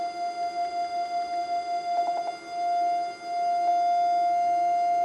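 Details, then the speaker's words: Homebrew 80m/40m SSB/CW receiver: its 700 Hz target CW tone pulses about five times a second, a beat showing it is about 5 Hz off, which is acceptable. "that air this is slight beat frequency there so we're not exactly on 700 Hertz but um we're pretty close"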